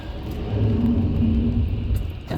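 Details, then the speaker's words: 1992 Dodge Caravan on a road test in the rain: harsh, rough grinding rumble rises and holds while braking, metal-to-metal from pads worn through, now also damaging the rotors. "this thing's grinding so bad they just costed themselves triple the expense to fix their brakes it probably could have just got a set of pads it could have possibly got a set of machined rotors but now it's grinding so bad"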